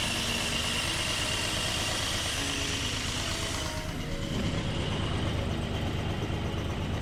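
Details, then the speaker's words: 1981 Datsun 280ZX after new fuel injectors and service, following a test drive: even, settled idle with no stumbles, misses or hunting; the earlier rough idle and power loss are gone. Normal idle. "like there seems to be no issue at all running or idling anymore like it's almost like it's a whole new car"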